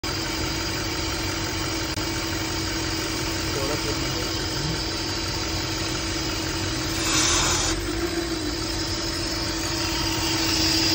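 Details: Audi RS5 V8 at idle, whistle heard from inside: a steady thin whistle over the engine note; owner attributes it to the PCV valve, unconfirmed.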